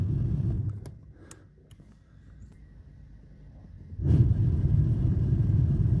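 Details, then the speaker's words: 2009–2010 Volvo XC60 with a slow-running heater blower, 12 V applied directly to the blower control wire: quiet cabin, then a steady low whoosh that comes in abruptly and holds even. Blower fan operates normally on direct power. "as you can see the fan is operating when I rooted 12vt to this wire"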